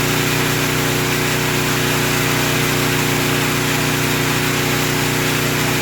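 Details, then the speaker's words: Portable generator after the surging repair, started on choke: an even, steady drone with no rise or fall in speed and no surging, holding its governed speed smoothly. "all right guys y'all heard it steady no surgeon we did what we set out to thank you"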